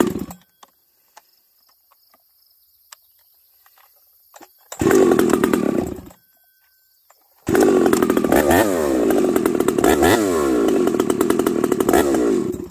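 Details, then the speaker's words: Ported 371 XP chainsaw with a new ignition coil: revs in two bursts with a blubbery, uneven four-stroking note instead of a clean scream; carburetor set too rich, mixture screw adjusted about three-quarter turn. "you heard this thing Pig rich half a turn or one full turn let's I put it at three quarter"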